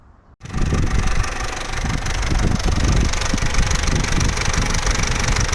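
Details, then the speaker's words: Vauxhall Corsa C 1.4 SXi, bought for £500, engine at warm idle: busy metallic rattle over the idle, suspected stretched timing chain that got much louder on the drive home; cause not confirmed. "so as you can see that's really not an ideal noise but you know at the end of the day this is a car that was 500 pounds so you're not going to get mechanical Perfection"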